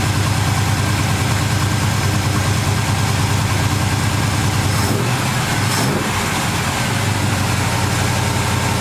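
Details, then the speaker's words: V8 with Holley carburetor, after replacing power valve (wrong 9.5 earlier flooded engine): steady, busy idle about 1200–1300 rpm instead of usual 900, no misses; owner unsure if power valve is cause; high idle speed. "Seems like the idle is up a little high now. It's normally about 900, now it's about 12 or 1300, so I'm not sure if that's because of the power valve or what's going on there, but we're running"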